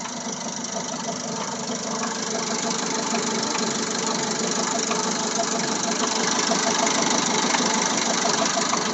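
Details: Sharp ticking knock about three times a second riding steadily over the idle, despite new cam phaser, water pump and timing belt and fresh Elf oil; cause unknown; engine knock at idle.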